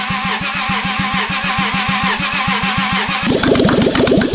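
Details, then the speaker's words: Toyota 2JZ engine pulled from a Lexus, run out of the car with rigged Miata fuel pump and ECU wiring; catches and runs with a hard, fast knock on every firing pulse sharpening with revs: badly knocking rod bearing. "It has really bad rod knock, but we're gonna try."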